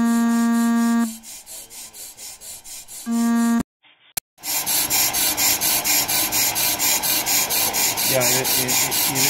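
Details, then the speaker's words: Pro-Cut PFM 9.2 on-car lathe resurfacing a brake rotor after compensation: rhythmic scraping about twice a second, the bit catching then missing. It doesn't sound right; either setup is suspected to be inconsistent, cutting a different spot; recompensation planned. "that sound is catch, Yeah. It's hit, yeah. Miss. Exactly. It doesn't sound right."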